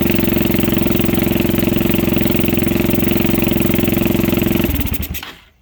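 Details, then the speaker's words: 2006 Zhejiang Kangdi 250cc kart, throttle held open: single-cylinder thumping at about 220 beats a minute with sharp pops back through the intake before it dies; owner suspects cam timing and plans to check top dead center. "Well, as you can tell, it does run better. I believe it'll run perfect once I pull that side cover off. You hear it popping back through here and not through there."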